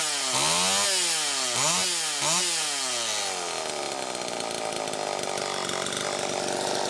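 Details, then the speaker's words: Chainsaw after a fuel tank mounting repair: three crisp throttle blips, then a steady strong run; it sounds healthy, though the muffler cap is a little loose, and it was run to warm the engine slightly. "okay well brian that makes me feel a hell of a lot better quite frankly just to hear it run and i didn't have to get into the car which makes me feel great honestly"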